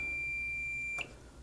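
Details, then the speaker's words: Marantz 2245 receiver, multimeter diode test on the bridge rectifier after an odd positive filter capacitor reading: one steady high beep about a second long; shorted bridge rectifier on the positive rail. "found it. Shorted bridge rectifier on the positive rail."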